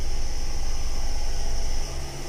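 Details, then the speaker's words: Mazda CX-7 2.3L after timing chain job: smooth low even idle rumble, no ticking or rattling, settling as it stabilizes; timing correct. "se escucha parejita no se escucha ningún matraqueo absolutamente nada se escucha genial"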